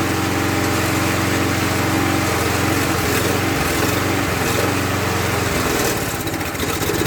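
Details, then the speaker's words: Murray mower, Tecumseh engine replaced by Briggs, after priming: pitch hunts up and down every couple of seconds instead of holding steady, surging; owner suspects not enough fuel, plans another carb cleaning. "So, not getting enough fuel. We'll have to adjust the car, I guess."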